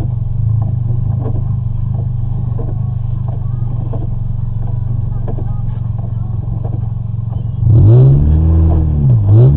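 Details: 2003 Toyota Matrix XR 1ZZ-FE with a rough idle: low rumble with an uneven pulse of about four times a second, then loud music takes over; a P0171 check engine light comes on.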